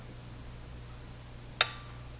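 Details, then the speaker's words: Pioneer SX737 receiver protection relay bench-tested with variable supply raised toward 20V: faint mains hum then one crisp click as relay pulls in cleanly; relay itself working fine. "And there, my relay clicked in. I'm bringing the voltage back down, relay click out."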